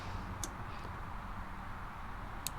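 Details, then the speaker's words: Century/ProTemp torpedo heater: two sharp relay clicks turning the igniter on over a low fan rumble, but no spark at the electrodes and no firing despite voltage reaching the igniter; owner suspects electrodes or igniter failed. "right there was that click and there's nothing up here so I'm suspecting either the electrodes or the igniter or something went bad"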